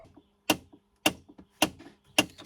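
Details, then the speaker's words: Chevrolet Trailblazer at start-up: sharp, even clicks about every half second behind the dash from the HVAC blend door actuator, out of calibration after a battery disconnect. "yeah so what is that well HVAC is hvacing in there it's got the little flapper door accelerometer doodads"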